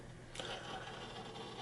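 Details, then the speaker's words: HP Pro 3120 SFF PC, 500 GB hard drive during first Windows boot after cloning, searching for drivers: constant scratchy chatter over a faint hum with a louder early burst, the noisiest hard drive the owner has heard. "This is the noisiest driver, hard drive that I ever heard in my life. And it's a 500 gigs hard drive that is making all that noise."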